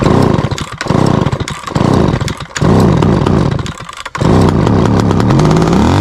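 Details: Small two-stroke started after rehydrating its dried-out carburetor diaphragm (fuel pump): buzzes strongly with throttle blips and dips, then settles into a steady even run; starts and keeps going.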